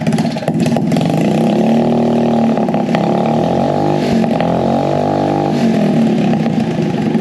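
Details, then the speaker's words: Scratch-built full-suspension mini bike, first start after sitting about 7 months since its last race, before new exhaust and tires: small single revs and settles, crisp and even, moderate exhaust note; carb leaking fuel, floats suspected faulty; runs fine. "carb is leaking fuel floats definitely having issues so that's fine it runs it sounds good it's not too loud"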